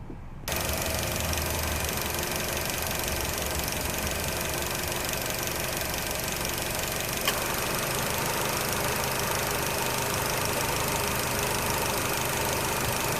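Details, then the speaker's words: Nissan Qashqai J10 idling with microphone at the front after AC repair: steady idle, then a sharp click as the compressor clutch engages and fans kick in; running stays even, compressor working normally. "I'm gonna try to place the phone at the front, see if you can hear the compressor kicking in and all that stuff, just to show you, but hold on a second."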